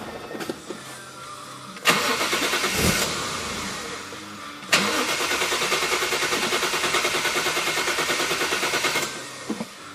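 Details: Toyota 1JZ engine cranking with steady, even starter rhythm and regular compression pulses but never firing or catching; crank, no start.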